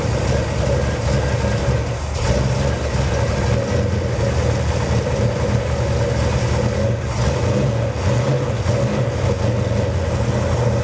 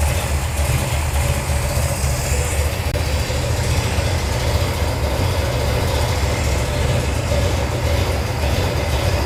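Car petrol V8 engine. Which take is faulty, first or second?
first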